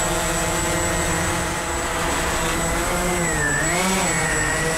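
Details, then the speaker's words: Walkera QR X350 Pro quadcopter on its first flight, hovering in manual mode with small stick corrections: an even, steady whirring that dips slightly in pitch as the throttle trims, smooth with no wobble or buzz; healthy, stable hover. "and just like that we're flying 100% manual right now and it's just hanging there"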